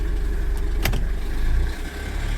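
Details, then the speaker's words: 2006 Honda Odyssey, about 247,000 miles, towed in and overdue for an oil change: deep, lumpy idle with uneven pulses and cylinders dropping out; a bad misfire, possibly from the timing belt having skipped a tooth, cause unconfirmed. "It's misfiring like crazy. It may have skipped a tooth on the belt."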